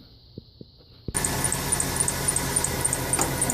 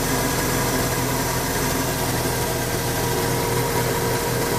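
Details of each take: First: 1996 Ford F-150 4.9 300 inline six: engine catches, then sharp high chirp three to four times a second, louder as revs rise; alternator already replaced without change, traced to the rotted harmonic balancer at the front pulley. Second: 1996 Ford F-150 4.9 300 straight six after tightening the harmonic balancer that caused a belt-like squeak: even, steady idle with low rumble, no squeak or chirp before shutdown.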